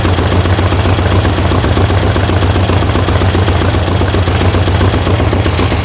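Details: Air-cooled VW flat-four sand rail, warm start after ignition and carb tuning: steady, low, even idle with a firm regular beat and no misses. It runs healthy, though something sounds loose, possibly an internal baffle.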